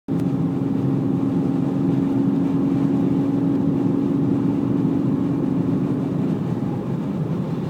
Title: Bmw e46 330 whine noise